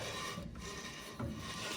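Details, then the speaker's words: 1969 Chevy C30 drum brakes after adjusting shoes out, wheel turned by hand; slow, light, even scraping as shoes just touch the drum, correctly adjusted; normal slight brake shoe drag. "I got this side adjusted out. And if you listen, you can hear it dragging just a little bit. That's what we want."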